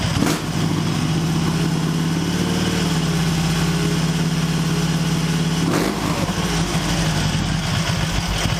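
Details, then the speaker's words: Excelsior Henderson Super X motorcycle idle dips to about 500–700 rpm, low and loping, sagging and wavering toward stalling with uneven beats; lumpy idle near stall during superXtune tuning to fix stalling. "I'm going to show you the tack when I do this this one dip down to about 600 see that 5 6 700 that's pretty lumpy right in there it's not as bad as it's done in the past"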